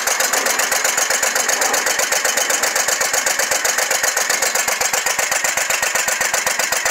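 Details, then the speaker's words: Scag Tiger Cat II zero-turn with Kawasaki FX691V V-twin, sticking choke, blowing black smoke: sharp, lumpy chuffing pulses with a loping, uneven idle beat, running on only one cylinder; cause unconfirmed. "I finally got it to start and right now we're just going to Crank It Up running on this one cylinder and I'll show you what it's doing"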